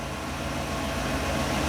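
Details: 1957 Chevy, hard starting cured by siphoning out stale premium gas and refilling with fresh fuel: low, smooth, even idle with no misses, stumbles or knocks; normal idle.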